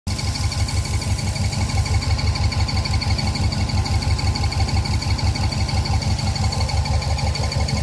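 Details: 2000 Subaru 2.5RS with WRX engine swap at idle; intermittent regular knock about twice a second, seemingly from under the top-mount intercooler; cause not identified.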